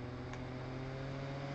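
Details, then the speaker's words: Converted G5 fan with Zalman 92mm motor stepped up toward 12 V, where it runs about 3,000 RPM; steady airy rush with constant low hum, no ticking or rubbing, normal at high speed. "okay if you get close you can certainly hear it and as we get up to 12 you'll hear a real difference"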